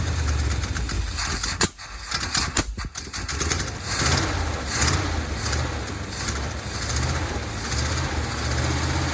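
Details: 1970 Dodge D200 V8 truck, first start on brake cleaner as starting fluid: catches, then stumbles and dips unevenly instead of holding idle; owner suspects a vacuum leak, with many vacuum hoses plugged off by screws.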